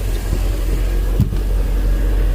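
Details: 2003 MerCruiser boat engine after no-start: deep steady low rumble with even beat, no misses or knocks; fuel pump current about 8–9 amps, fuel flow about 26.4 gal/h.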